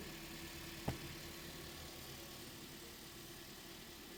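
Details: 2016 Toyota Corolla 1.6 that had been misfiring heavily with codes P1603, P1604 and P1605, after repair: one stray knock from handling, then a smooth, steady idle with no stumble or skip and no misfire.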